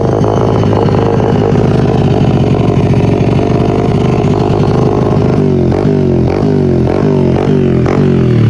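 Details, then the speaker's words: 1978 Honda XR75, first run after sitting since the late 1990s, before carb tuning: loud, buzzy single-cylinder rasp, uneven at idle, pulsing on throttle blips; runs rough through a noisy, raspy exhaust. ">> I'd like to eventually get a quieter exhaust for this cuz that is pretty raspy for me."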